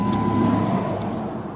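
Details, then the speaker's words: 31,000-mile Dodge Intrepid at idle: starts and runs perfectly fine, steady even running with a smooth low hum, no knocks or misses; check engine light on for an evap fault, likely loose fuel cap, not affecting running. "Starts up and runs perfectly fine, but that thing exists."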